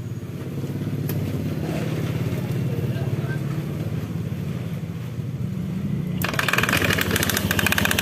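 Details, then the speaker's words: Honda Beat scooter after fixing a CVT rattle caused by a loose clutch lining clamping plate: engine runs evenly, the rolling clatter is gone, only the normal rustle of belt rubbing on the pulley remains. "suara gelinding-glindingnya tadi sudah hilang ya halus cuma ada suara krosok-krosoknya ini suara seperti biasa ya krosok-krosok ini kan karena gesekan antara karet sama puli itu"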